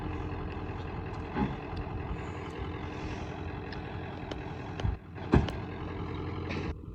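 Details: 1994.5 Ford Power Stroke diesel ranch truck with new flatbed, just back running after shop work: steady low diesel clatter at idle, even and unbroken with a few clunks around it; engine running smoothly, normal idle.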